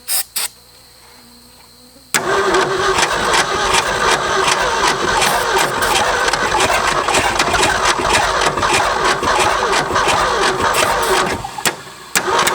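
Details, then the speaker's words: Late-60s Ford F-250 V8, first start after 26 years, throttle held wide open: catches into a ragged uneven run on only some of eight cylinders, never smoothing out; suspected deteriorated, dry-rotted plug wires; misfire. "I'm thinking that a quite a few of them are probably deteriorate and they're not making a connection you hear it when it kicks over it's only firing on a few cylinders"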